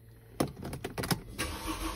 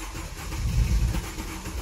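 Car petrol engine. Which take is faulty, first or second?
second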